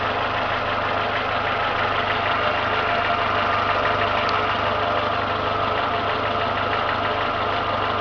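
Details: Renault Logan engine at steady idle: faint, fairly quick ticking knock, unchanged throughout; appears once warmed to two gauge divisions, absent when cold; cause unknown, owner asks what could be knocking.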